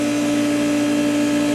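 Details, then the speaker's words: Steady high hum with strong constant tone over the motor drone, unit vibrating; owner suspects a bearing, cause unclear. "You hear that? That don't sound good. Perhaps a bearing? It's actually vibrating."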